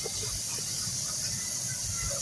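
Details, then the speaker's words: Single-door Polytron refrigerator not cooling from blockage, compressor running after brazing capillary and vacuum lines: even, unbroken airy hiss of air blowing freely through the open line, no blockage. "Dan ini juga berembus ya. Nih berembus angin."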